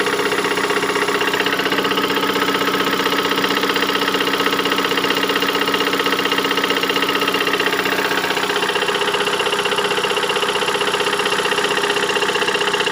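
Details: 2008 Ford Mondeo Mk4 2.3 L engine, 203,000 km, at idle: sharp, even tapping about three per second over the idle; unexplained engine knock, cause not yet found.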